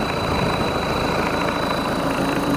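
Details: Mitsubishi 4D56 diesel with turbo, just overhauled after compression failure, freshly started: steady smooth idle, even low clatter, no knocks or misses; oil pressure about 2 bar at 1000–1500 rpm, oil not yet distributed, radiator leak pending; healthy.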